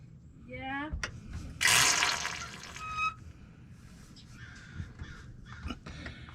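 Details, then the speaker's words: Truck brake bleeding after pedal failure, pedal pumped up and bleeder valve opened: short sharp hissing spurt about 1.5 seconds as trapped air escapes the brake line; following bleeds gave solid fluid; air in brake line. "okay did you hear that air come out that's what we're trying to get rid of"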